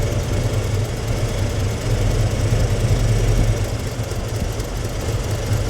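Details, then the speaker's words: 1993 Ford F-150 on its third engine in two years, runs badly: power balance test with idle air control disconnected, pulling one plug wire at a time; deep V8 idle stumbles and shudders per cylinder, weakest cylinder to get compression-tested. "You see the difference? The way the motor, he'll pull the plug wire off and kind of shutter."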